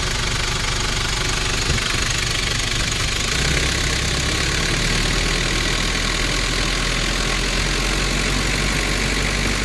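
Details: 1994 Nissan Big M pickup, BD25 2.5 L four-cylinder direct-injection diesel, after a test drive: constant diesel clatter at idle with an even, unchanging beat, no surges or odd knocks; healthy idle.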